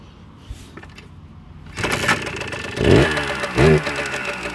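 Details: Kawasaki KE100 two-stroke after muffler tip replacement, being diagnosed for hesitation, first cold start: silence, then it catches at about two seconds with a couple of crisp blips; starts cleanly.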